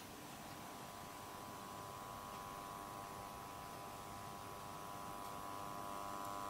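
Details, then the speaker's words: NAD 7020 hi-fi receiver power transformer: a steady, rasping mains buzz, made worse by the casing resonating when the top cover is on; repaired by securing it with resin. "okay as you can hear by that clip it is buzzing uh especially when you start putting the top on that it just kind of amplifies uh the buzz a little bit more with the casing on"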